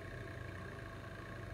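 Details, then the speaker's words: Grizzly G0704 CNC mill conversion, Mach4 config, microphone by the X-axis stepper; machine not enabled but drives powered, faint constant low buzz from idle stepper motors, steady pitch, no movement; owner unsure whether normal. "like a sounds like the steppers or making noise is that noise normal when the machine is not engaged"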